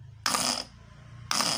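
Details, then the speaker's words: Starter motor (dinamo) test on a dry car battery after about 8 hours of charging: two short, fast, high, even whirring spins; starter spins strongly, battery later tests 13.7 V; normal. "Oke, kita bisa melihat putaran dari dinamonya ini teman-teman. Oke, kalau kencang berarti sudah oke."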